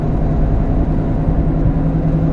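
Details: Steady low growl under road noise while driving, a deep hum without knocks, growing louder: worn wheel bearing.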